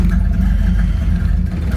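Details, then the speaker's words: Third-gen Camaro small-block Chevy V8 after timing setting, warm at just over 180: low uneven lumpy stumbling idle; rough running, owner suspects slightly too much timing. "sounds like it's still maybe a little too much timing look how bad she's running she's just pouring well not pork but she was when we left so i don't know definitely better than it was as best it's been yet"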